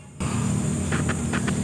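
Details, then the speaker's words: Original door speaker from a 7th-gen Honda Civic with distorted sound, playing a low bass tone: scratchy rasping bursts come through when the cone sides are pressed. The voice coil is rubbing, before the no-tools repair. "pag ganyan pakingan niyo ha yan may sayad dapat walang sayad yan parang ikaw yan oh may sayad"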